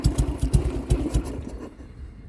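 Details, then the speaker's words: 2003 Harley-Davidson Sportster after ignition switch replacement, started from the key: several uneven, deep thumps as the V-twin fires, then the beat fades out; it starts but needs choke to keep running. "I gotta put the choke in if I actually want it to run. So it does start from the key."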